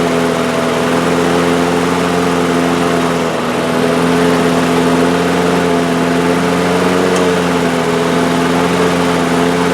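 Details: Two-year-old DeWalt lawn mower with Briggs & Stratton engine, rerun after repairs; it now holds a steady, even speed at constant pitch with no hunting or surging. Normal running speed.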